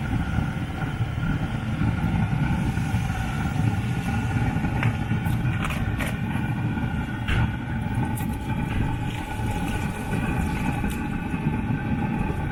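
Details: Newly installed Webasto diesel fuel-burning heater on a Freelander 2, running; steady, deep jet-like roar at an even level with no sputter or pulsing, so the burner is working properly.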